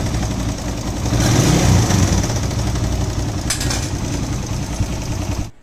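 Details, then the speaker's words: Motorcycle idling with loose, uneven clatter; engine reported noisy, mechanic says timing chain needs replacing and valve clearances checked for looseness; valve clatter and timing chain rattle. "kung mapapansin niyo maingay nga yung makina So ang sabi ni boss Ryan ah timing chain daw papalitan diyan Tapos iche-check na rin yung clearance Kung maluluwag na"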